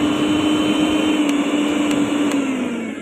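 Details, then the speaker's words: Repaired mixer grinder switched on after reassembly with screws: steady high motor whine holding one pitch, then easing down as it slows; smooth, even run, mixer fully ready. "ಈಗ on ಮಾಡಿದಾಗ ಸ್ಕ್ರೂಗಳನ್ನು ಹಾಕಿ ನಿಮ್ಗೆ ಗೊತ್ತಾಗುತ್ತೆ full ಕಂಪ್ಲೀಟಾಗಿ mixer ready ಆಗಿದೆ."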